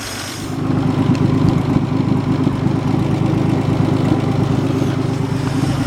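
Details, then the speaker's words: 1950 Dodge idling after a start with about ten accelerator pumps and no choke: after the first second, a steady, even idle with a soft low pulse and no knocks or misses. Sits there idling better than expected. Normal idle. "that's great news it just sits there - I was not expecting it to be that good"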